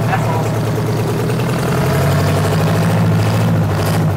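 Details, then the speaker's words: 8V71 two-stroke diesel: a deep, even drone with a quick, steady beat of about four pulses a second, no misses; likened to a race car. Normal running. "Wally, that's insane, dude. It sounds like a race car."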